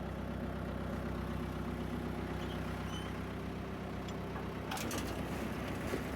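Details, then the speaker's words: John Deere 2130 diesel tractor after flushing the hydraulics and fitting a new filter and oil. Steady diesel idle, then a brief clatter as the PTO engages, with the engine holding speed. Loader and hitch are fully functional, where before they wouldn't work. "Look at that. PTO engages right away. It winds right up. I can still use a 3-point hitch, loader, full function."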